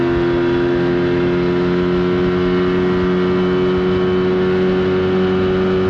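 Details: 1979 Evinrude 35hp two-stroke outboard on the water after adjustments, with the air box left off for the run. Steady, even drone at one pitch at speed, no misses or surges; running cleanly.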